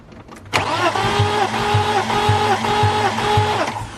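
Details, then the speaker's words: BMW E36 that sputtered and backfired after a head job and knock sensor replacement. Uneven, lopsided cranking at about three beats a second: compression varies widely (one cylinder 210), rings suspected, possible rod knock feared. "That's what your compression's all over the board. Yeah. That's what I'm saying. Yeah, so it's so grade A, fuck. Those rings are all freaking doing their own thing."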